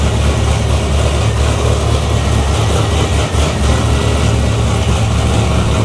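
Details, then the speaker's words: LS3-swapped C6 Corvette, first start in garage, about 8 miles on the swap, no check engine light, still needs a tune: deep, steady V8 rumble, even beat, no knocks or ticks; the motor sounds healthy. "Sounds pretty good. The motor sounds healthy."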